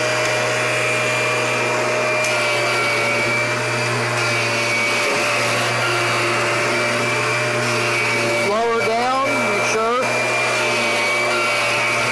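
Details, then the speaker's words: Kirby vacuum (Generation 4, 1995, or G10 Sentria, 2011) running: a steady motor roar with a high whine riding on top and a brief warbling chirp near the end, the noise of the tech drive. "that noise you're hearing is the tech drive"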